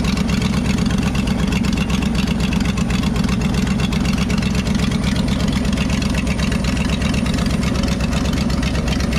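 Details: 1968 Ford F-250 with 390 V8, barn find sitting nearly 10 years, first idle after getting fuel: loud, deep idle with steady thump about four times a second, uneven; rough idle, vacuum leak suspected, not confirmed.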